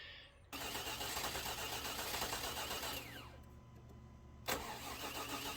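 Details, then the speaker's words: 2000 Chevy Tahoe Limited, Vortec 350, sat under 12 inches of snow; starter cranks steadily but never catches, then it fires once after the key is released; crank-no-start from a crossfiring distributor cap. "it doesn't want to start it's been sitting it had 12 inches of snow on it it's doing something just really bizarre"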